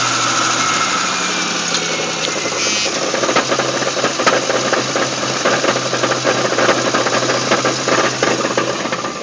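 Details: GTP with 3800 V6 at idle: a busy metallic rattle of fast light ticks rides over a steady idle; something is loose or knocking, cause not yet pinned down.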